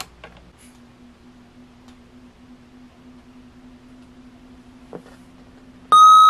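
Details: 1970s GE 7-4816B AM-FM clock radio: quiet mains hum, then a loud, steady, high buzzing alarm tone cuts in near the end; normal alarm beep.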